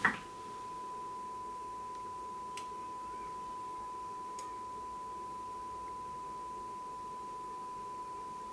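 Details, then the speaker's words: Grundig Satellit 3400 Pro radio after full recap of electrolytic and tantalum capacitors, on battery, test signal injected, playing through speaker with 4-ohm dummy selected and scope monitoring: steady, pure mid-pitched tone, quite clear, no buzz or crackle; clean audio stage. "we can hear it and it's quite clear"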